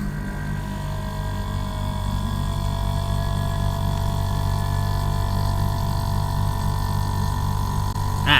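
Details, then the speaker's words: Air conditioner that sometimes fails to cool, with the compressor starting briefly then cutting out: steady low hum with constant tone over the fan's whoosh, no clicking or cutting out; compressor running normally here. "ตอนนี้พัดลมทำงานนะครับได้ยินเสียงแอ๊ดนะครับอันนั้นคือเสียงคอมเพรสเซอร์นะครับตอนนี้คอมเพรสเซอร์ทำงานปกตินะครับ"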